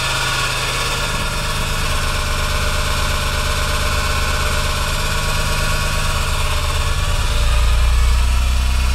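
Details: Rough, uneven clatter about three per second over a deep idle rumble, building slightly as revs rise; compression checks out, timing correct, VTC solenoids operating correctly, cause still undiagnosed — abnormal engine noise.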